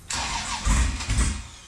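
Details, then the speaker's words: LS V8 sandrail after its fuel pump was relocated lower: a short crank with a rough, uneven surge that never settles to an idle. The fuel pump was found running backwards, so the engine cranks but won't start. "That's the problem. Your fuel pump's running backwards."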